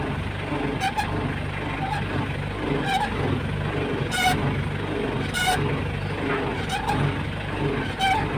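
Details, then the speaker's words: Mitsubishi L200 idling with a low hum and short rising groans when the steering wheel is turned: power steering pump noise, though the fluid reservoir is full. "start natin ha start tapos ag pinipihit yung Manila tsaka iingay yan ung naririnig yung Ugong kita niyo Ayan"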